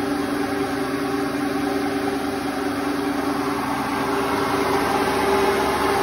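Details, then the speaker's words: Hotpoint Ultima WT960 washing machine after a drum bearing change (drum join still dripping), at full spin: a steady, even whir with constant tone and no rumble or grinding, so the new bearings sound healthy. "I'm going to probably record again when it's at 1600 and we'll see what we think of the noise see if it sounds any better"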